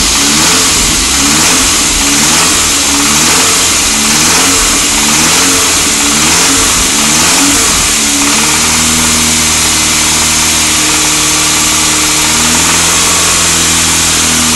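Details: SAAB 9000 engine: quiet at idle, but a rough, uneven knock starts once revs pass about 1,500 rpm. The owner was told it is the bottom end and also wonders about the timing chain or tensioner; the cause is unconfirmed.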